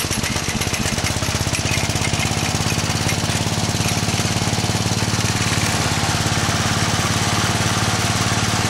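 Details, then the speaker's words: Small engine after the dry idler pulley was repaired with aluminum rivets and retensioned, belt jumped off; steady, even chugging about three and a half beats per second, no belt slap or squeal, sounding much better. Normal running. "let's jump the belt off and go like that and then you can see the pulley and that sounds a hell of a lot better okay here we go"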